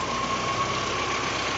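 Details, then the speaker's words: VAZ 2109 with new alternator that droned/knocked above idle, caused by its loose lower mounting bolt vibrating; after retensioning and tightening: steady even idle with faint high whine, no rumble or rattle, running fine. "никакого грохота нет я прекрасно работают"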